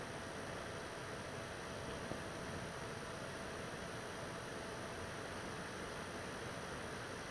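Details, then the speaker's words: PS4 Pro 3rd gen 7215B, only dusted, no new pads or paste, running a taxing game: steady soft airy hiss spinning up evenly, no rattle or pulsing, not that loud; normal fan noise under load. "you can hear it come up a little bit it's really not that loud it's not that bad and that's pretty much expected"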